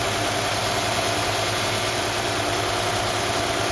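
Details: Mercedes-Benz KE-Jetronic engine (W124/W126) idling high at about 1,500 rpm; steady, even hum that never drops lower because a misadjusted idle control valve lets in too much air, fixed by adjusting the valve.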